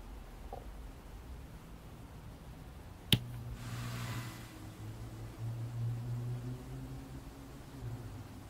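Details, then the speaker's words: McIntosh C28 early-version preamp, recapped, after the turn-on noise modification: sharp click at switch-on, then a brief soft rush of hiss fading within a second; turn-on rush still present but clearly reduced. "well i'd have to say that that turn on rush was still present but it is less than before like for sure less than before"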